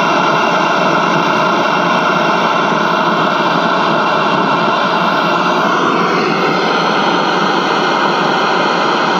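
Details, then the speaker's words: Early-1960s General Electric M5 black-and-white portable TV at startup, 6DQ6 horizontal output; loud steady hiss with faint high whistles shifting tone; something wigging out, owner suspects capacitors reforming, unsure. "Wait, what's happening here? Okay, something's wigging out here. Maybe the capacitors are reforming."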